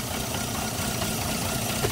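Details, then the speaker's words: 2007 Toyota Yaris petrol engine idling unevenly with a stumbling low note: multiple-cylinder misfire with check engine light and very low power, persisting after three new ignition coils; spark plugs not changed, diagnostic scan next. "engine Miss fire yeah somebody said it was mis fire in here miss fire yeah yeah took three new coils in three new coil yeah and it doesn't it doesn't solve the problem"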